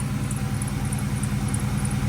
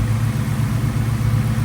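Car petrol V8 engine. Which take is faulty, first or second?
first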